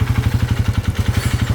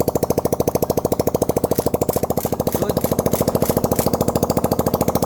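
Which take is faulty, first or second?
first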